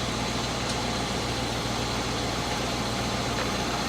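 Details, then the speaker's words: 1980 Chevrolet Scottsdale 350 V8 pickup parked 26 years, first start with fuel system hooked up: even idle, smooth regular pulse, no knocking or pinging; fired right up. Finding: normal idle. "But like, listen to that idle there. Like there's no knocking or nothing, eh? That's ridiculous. That sounds super nice."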